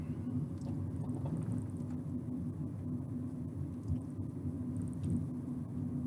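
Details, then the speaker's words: Ford Ka road test at 20 mph after left-hand front wheel bearing replacement: low, even road rumble with no growl or rhythmic drone from the front wheel; new bearing sounds normal. "left hand front wheel bearing replaced and we're at 20 miles an hour now"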